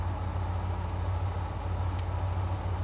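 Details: 37-year-old Ford Bronco with new replacement TFI-IV ignition module: quiet, steady low idle hum with an even beat and no misses or stumbles; engine running normally, module's current limiting control stable on scope.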